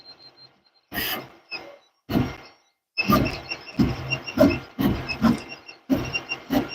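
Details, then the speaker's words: New Ender 3 V3 Plus 3D printer printing: irregular bursts of squeaky, creaking noise with high squeal tones, much louder than the lubed standard V3; microphone beside it. "it's just like the V3 the standard one we have but it's just a lot more squeaky and a lot louder"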